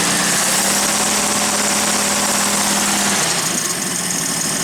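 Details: 1977 AMC AMX Hornet, junker first started, running on a fuel jug into the carburetor: raw, loud, raspy, lumpy idle with hiss; sounds like the muffler is missing.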